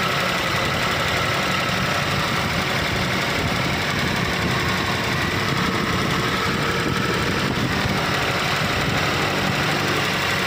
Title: how to solve abnormal misfire problem #automobile #cars #nissan